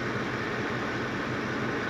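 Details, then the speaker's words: Ford F150 5.4 3-valve V8 after cam phaser and timing chain replacement, idling with microphone right at the exhaust: steady even rumble and hiss, no rattle or ticking; normal idle. "but she's idling now it sounds good it's not rattling seems to be doing everything right"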